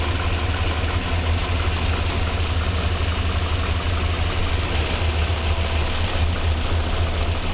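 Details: 1985 Monte Carlo SS with a cammed 6.0 LS2 swap, sitting 5 years, fuel system rebuilt, fuel pressure fine, all injectors getting a PCM signal. Deep, rough, lumpy idle; running better but still misfiring.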